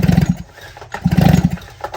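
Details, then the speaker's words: Two-stroke chainsaw/brushcutter cranked by pull start: two bursts of firm thumping pulses about 12 a second, the characteristic "flop" of compressed mixture through the transfer port; normal cranking compression. "abriu a janela de transferência e flop, sobe para cima aquela mistura comprimida, certo? Então, isso aí que faz esse barulho característico, como eu mostrei aqui para vocês."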